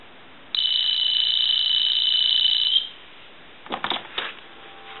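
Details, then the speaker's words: Tele Concepts telephone repaired after its handset was dropped, in final checks: one clean, high electronic trill of about two seconds, steady with no crackle or dropouts. Normal ringer. "we want to go ahead and ring this telephone we'll let that go a couple"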